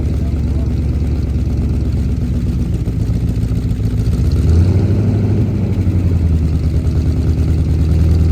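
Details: 1977 Holden HX Statesman Deville, 308 V8 with Turbo 400, sat about 20 years, fuel primed into manifold: deep steady burble with even lope settling slightly higher midway; idling smoothly.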